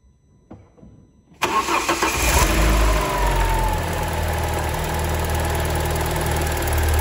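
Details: Alfa Romeo 159, which also has an oil leak, catches and settles into an idle with a hard, rapid ticking clatter of about four per second, almost diesel-like. Twin Spark engines are said to sound diesel-like; cause still undetermined.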